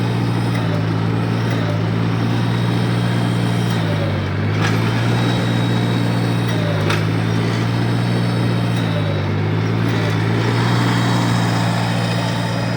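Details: 1953 Farmall Cub, in neutral with a little choke, after a quick fix for a loud squeal; a steady low drone with slight speed wander and the high-pitched squeal gone. Normal running.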